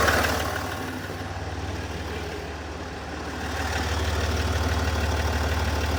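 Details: SDV6 diesel at idle: a fast, light, regular tick of about three per second over the low rumble; cause not identified.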